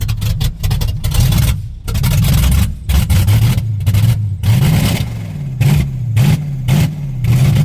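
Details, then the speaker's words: 1987 Pontiac Firebird just started after alternator/starter replacement and wiring fix, idle screws not yet adjusted; lumpy idle that sags and surges, nearly dying. Rough running, needs tuning. "I had to figure out this problem so I can able to tune this. See, you can hear it's getting ready to die."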